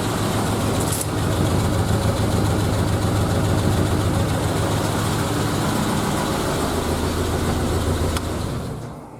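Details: Triumph Spitfire first start after head gasket replacement, head refitted and torqued to spec, carbs back on: steady even low beat, no knocks or ticks, holding smoothly eight seconds then winding down; engine running healthy.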